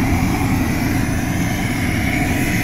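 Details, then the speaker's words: Homemade steam scooter with a wood-pellet-fired monotube boiler and soot-caked coils: its battery-powered computer blower fan, Arduino-controlled, gives a constant roaring rush of air with a faint steady whine and no surging or rattle. Normal burner blower operation. "this is all powered by a little battery and that's a little computer blower fan"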